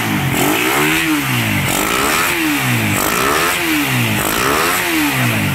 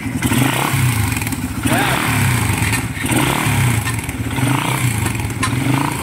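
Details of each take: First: Raider 150 motorcycle, engine very cold, after repair (parts replaced, carb swapped): revs up and drops back about five times, each sweep smooth with no rattle or clatter underneath; the cold-engine clatter is gone, normal cold idle and revving. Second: Raider 150 motorcycle, cold engine before repair: busy metallic clatter over the exhaust beat at idle, disappearing once warm; focus is on the cam chain tensioner, timing chain rattle when cold.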